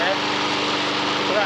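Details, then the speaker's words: Honda HR173 lawn mower, received as a non-runner with an empty tank after its fuel evaporated, starts on fresh fuel and runs with a brisk, even engine beat and steady buzz, no misses or knocks; healthy running. "moving oh yeah it's a runner we've had a bit of a touch really all these mowers with a bit of fresh fuel in them they've actually all gone on to start up"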